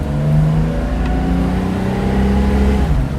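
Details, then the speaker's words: 1971 Mercedes-Benz 280SL automatic on road test, manually shifting second to third to fourth, about 55 mph near 3,000 rpm: engine holds revs a beat too long before each upshift; delayed, hanging shifts but it does shift. "A little bit of a hang up, but it is shifting. Third, and then fourth. So it's hanging up, but it's gone."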